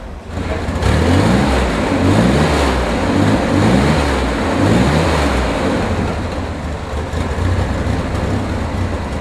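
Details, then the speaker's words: 1965 Chevrolet Corvair Corsa convertible with a matching-numbers high-output air-cooled flat six, four downdraft carbs and a 4-speed manual. It idles with a throaty growl, then quick blips rise and fall cleanly; it runs healthy. "Anyway, how about I start it for you so you can hear what it sounds like, because it's got a nice little growl."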